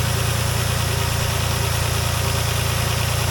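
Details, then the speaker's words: 2007 Dodge Nitro idling after replacing the idler pulley: even, steady low idle rumble with no squeak or chirp; belt drive and pulleys sound healthy. "all right guys we got it no more squeaking noise let you look down in there smooth as"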